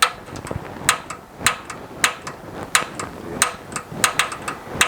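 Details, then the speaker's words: Gas water heater newly installed in a garage, pilot being lit after connecting the gas line: valve set to pilot, button held, piezo igniter pressed; sharp snappy clicks about every two-thirds of a second, normal piezo sparking; may take a while as the gas line is empty. "you turn it on pilot you press on this button right here and you press on this little piezo element right here"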